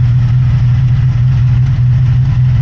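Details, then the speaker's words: 1983 Honda VF750F Interceptor running off its own tank after a fuel petcock rebuild with no fuel leaks: smooth, steady low idle with an even deep hum and no misses, though a slight rattle was heard toward the rear; normal idle. "It sounds really good. Really good."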